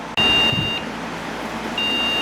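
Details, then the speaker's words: Replacement Proxmox backup server board on first power-up with memory modules fitted: a high steady beep of about a third of a second repeats after pauses, failing startup check; owner suspects a memory problem, unconfirmed. "all right how much do you want to bet this isn't going to work yeah thought so sounds like a memory problem"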